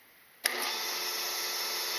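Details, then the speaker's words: 1996 Grizzly milling machine with a replaced motor and newly wired drum switch, running forward (clockwise): motor settles into a smooth, steady, fairly high-pitched hum with no knocks or rubbing; normal motor running. "and we can see that the cutting head is moving and I guess you could call that clockwise motion"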